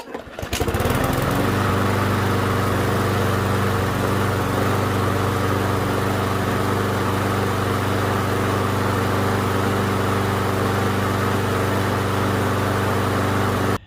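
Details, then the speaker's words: Yard Machines mower with Briggs and Stratton engine, after a mobile mechanic replaced the carburetor for rough running, cutting out and hesitating: catches quickly and settles into a steady, even drone with no surging or stumbling; normal running. "Alright guys, well I hope this lawnmower will last for a long time now with getting the carburetor replaced"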